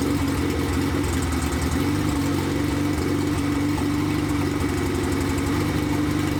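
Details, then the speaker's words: 1993 Honda Civic EG hatch, built LS VTEC (Manley rods, CP forged pistons, CSS, built B16 head, GSR cams, stock injectors, no turbo) on first start, open header, no throttle cable: loud even burble, steady idle, no misses or stumbles; running smooth. "It's running smooth. It's running smooth, boys. Let's go. Let's go. Baby, boys."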